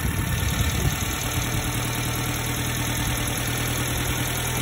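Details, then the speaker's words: 90s Subaru Sambar KS4 carbureted engine at idle during distributor timing adjustment: bogged when too retarded, then steady idle without misses whose rpm rises slightly as the distributor is rotated to advance timing, until no further gain. "keep advancing it a little bit see how the rpm is coming up i hope you can hear"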